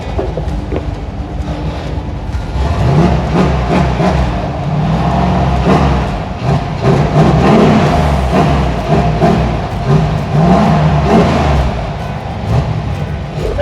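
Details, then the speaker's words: 6.2 LS V8 swapped square-body crawler on Holley Terminator X, first time running: deep, steady burble with a few light throttle blips, pulling cleanly with no knocks or misses; normal running. "so this was really the first time I've gotten to hear it run and actually get to see it in action so I'm pretty pretty excited about it so we'll walk you around ah running pretty good"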